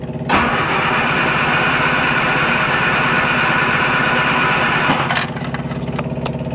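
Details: Classic Mini Clubman Estate, tank sounding very empty before refuelling, no choke used: about five seconds of steady, even cranking at roughly three and a half turns a second, but it never catches, then the starter stops; cranks but will not start.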